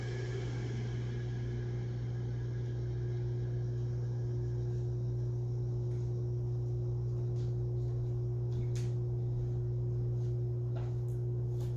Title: 2021-01-22 HVAC outdoor unit making loud noise